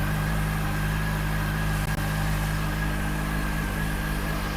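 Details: CFMOTO SRK450RR just after its first service (oil change, about 2.7 litres, new filter), left idling to warm up before checking oil level: steady even idle, smooth low hum with faint whirr, no knocking or rattles; owner calls it smooth; normal idle.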